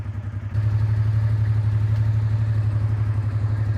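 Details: Warm idle on a 2005 Honda Deauville NT650V (75,000 miles), topped up after an oil leak at the oil switch/filter area: a steady, even low thump of about four beats a second with no knocks or misses. Normal idle.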